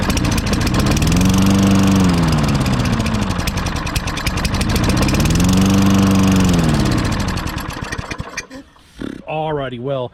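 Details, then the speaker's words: Toro Recycler GTS 6.5 hp mower rescued from the trash, no air filter, half-stale gas: after jet cleaning and gum cutter it catches on spray, surges and sags twice, then dies; runs only on starting fluid, carburetor jet and likely emulsion tube believed still clogged. "the mini clean did not work the carburetor is obviously clogged up that jet was really really super clogged and probably the tube where the jet screws in that emulsion tube's clogged"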